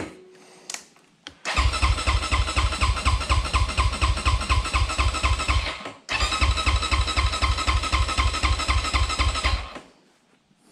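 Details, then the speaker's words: 2020 SSR SR300 dirt bike after Lectron carburetor install, fuel confirmed in the bowl: steady rapid cranking churn, stopping and restarting, never catching; spark check showed no spark at the plug. "i went ahead and checked the spark and there is none so as you can see there was no arc or spark here on the spark plug"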